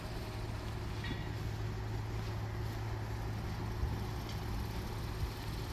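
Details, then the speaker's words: 2018 Honda Odyssey at idle during pre-purchase inspection: quiet, smooth low hum, steady with no ticks or roughness over faint outdoor noise; engine sounds normal. "The vehicle is currently running and sounds good. normal."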